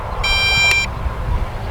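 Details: MJX Bugs 8 brushless 250 FPV race drone after a crash, lying upside down: a single shrill half-second beep over outdoor rumble; its lost-model alarm is sounding.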